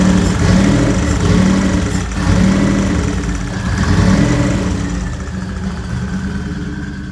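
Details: Turbo Nissan Z31: deep, loud, raspy idle holding steady with slight swells. Runs smoothly; normal idle.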